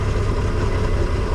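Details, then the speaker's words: MerCruiser 4.3 boat engine on water muffs, fresh fuel with Seafoam, new clean fuel filter, runs fine once revved: low, uneven idle that labours and wavers; rough idle, owner suspects a failing fuel pump, not confirmed. "but before then it'll sit here and struggle like this so I'm wondering if it's the fuel pump going"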